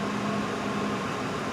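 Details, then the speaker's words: 2005 Mercury Grand Marquis LS air suspension compressor, heard after replacing the leaking original rear air springs. Quiet, even electric hum with a steady low tone and no rattles or grinding; quieter than before the repair. It raises ride height and shuts off with no warning light; working normally. "Before I changed these bags, I could hear the air pump. Of course, I destroyed my hearing a long time ago. I couldn't hear the pump. So it's actually working."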